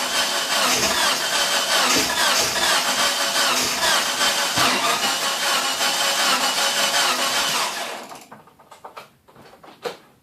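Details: DSM running on E85 ethanol: steady starter churning at about two and a half beats a second for eight seconds without firing, then it stops. Cranks, no start.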